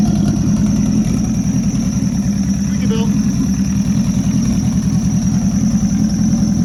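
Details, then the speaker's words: Rebuilt Nissan Juke project, first runs after the build: a steady, even idle with a smooth low pulse as the engine warms up on its own, with no knocks or misses. The air-fuel readout was not displaying, and a small oil leak was noted. "but it's running on its own that's exciting engine's warming up"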